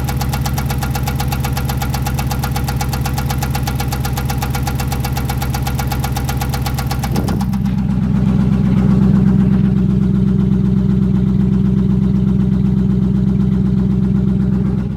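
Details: Dodge 5.7L Hemi petrol V8 at idle with a cylinder 8 misfire: steady regular knock about four per second and rough running; owner unsure if rod knock, spun bearing or camshaft and lifters.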